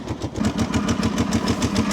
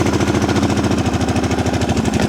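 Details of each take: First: Freshly started twin idling with quick, even pulses and a light ticking on top; source not confirmed. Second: Abandoned machine started with carburetor blocked by hand since choke is seized: V-twin catches and settles into a steady even firing rhythm about two beats a second, running cleanly on its own.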